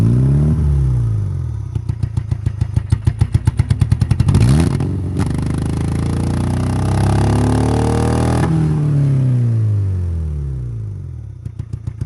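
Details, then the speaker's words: Derby-damaged Honda Civic, believed to be a 2001 (non-running, fuel problem suspected, needs starting fluid) with three plug wires pulled, revved by hand: lumpy stumbling beats on a single cylinder, engine sags and nearly dies. "oh we're back to one cylinder [Music] oh oh we're gonna lose it we're gonna lose it it'll go again"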